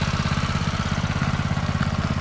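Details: Yerf Dog go-kart with a Predator 212 engine and stage 1 kit, replacing the stock Tecumseh: fast, even, low muffled single-cylinder putter at idle, about fifteen firings a second; quiet, healthy idle.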